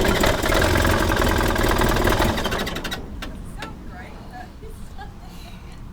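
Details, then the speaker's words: 1978 Triumph Spitfire 1500 parked for many years, after deciding to replace points, rotor and condenser: engine catches and runs rough and uneven for about three seconds with a lumpy beat, then stalls; first run in years, likely needing ignition and idle adjustment. "right we're so close we're so close but this old girl has now run ever so slightly for the first time in I honestly don't know how many years this car has been parked up"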